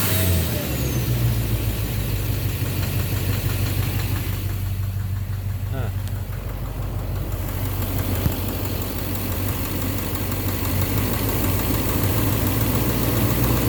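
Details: 2009 Silverado 3500 Duramax LMM diesel, 59,900 miles, cold-start morning, held in gear on brakes: loud idle with rough irregular knock under clatter, heavier in gear than neutral; suspected engine/bottom end, injector or cracked flexplate considered, oil analysis clean; unconfirmed.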